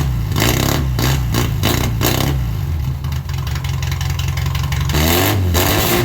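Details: 1978 MG Midget with a 1.5 engine, side-draft carbs and fuel cell, first drive after sitting neglected for years: the engine pulls, then stumbles with ragged, uneven revs. It runs alright but still breaks up a little, with the carbs blamed.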